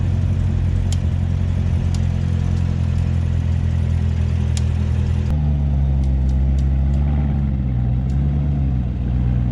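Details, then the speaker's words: C7 Corvette ZR1 reversing slowly on full steering lock, engine idling: sharp irregular clicks and snaps from the wheels, on both sides depending on turn direction; covered by a technical service bulletin and easily fixed. "this is the sound so like I said you have to have the wheels fully cocked and backing up at the same time and you'll hear a clicking sound coming right from in here"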